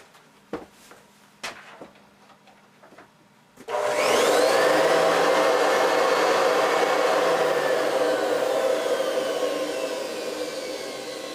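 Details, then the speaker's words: Hoover Decade 800 vacuum, cleaned, bushing and main bearing oiled, fitted with a metal fan from an older Convertible, run without the brushroll: steady smooth whoosh and even hum; motor and fan not causing the vibration, the brushroll is. "so it's definitely not the motor or the fan that's causing the vibration"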